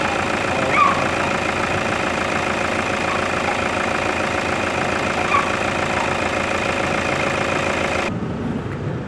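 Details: Toyota Fortuner diesel with black smoke: at idle a sharp, fairly quick tapping knock, roughly three per second, rides over the clatter; heavy engine knock, cause suspected but not confirmed.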